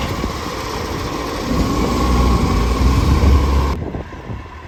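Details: Mitchell garbage truck 1040, diesel running: steady rapid chuff about four per second with raspy puffing edge; exhaust leak.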